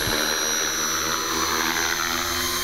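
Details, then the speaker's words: T-Rex 450 electric RC helicopter, flybarless, new Hobbyking YEP 40A ESC in governor mode, about 2800 rpm head speed: smooth high whine building gently with even rotor hum, no rattles; normal soft-start spool-up, brief twitch shows governor active. "that's a nice soft start doesn't it right that little twitch just then apparently means the governor is active"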